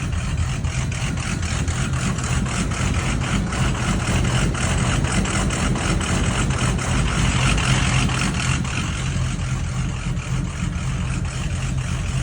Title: 6.0 rough idle. 30miles with REVX